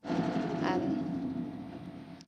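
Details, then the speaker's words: Range Rover L322 4.4 TDV8 diesel revved hard: rises to a roar with a brief airy high whoosh near the top that then drops away; turbo whoosh on revving, owner fears turbos failing, unconfirmed. "Ahí, sí, es solo esa parte aguda como en la cima de la montaña, si te imaginas que es una montaña. Hace un whoosh y luego se suelta."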